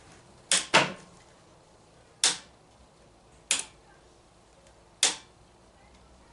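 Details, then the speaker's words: DJ fog machine with its fan unplugged, powered on: sharp quiet clicks every second or two as the electric pump clicks on and off, but nothing runs behind them and there is no output. "I can hear the thing clicking on and off but it's not doing anything"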